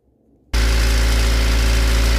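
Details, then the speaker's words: Toyota 4E/5E petrol engine at idle: harsh diesel-like clatter from the cylinder head, not bearings, rods or crank; quietens when throttle raises revs, mainly heard at idle; top-end knock, cam-related spring suspected. "короче сильно шумит на холостых оборотах звук такой как будто дизель работает в тоже время это не вкладыши ни шатуны ни коленвал звук идёт откуда-то от башки когда оборотов прибавляешь дросселем звук затихает его не так сильно слышно в основном на холостом"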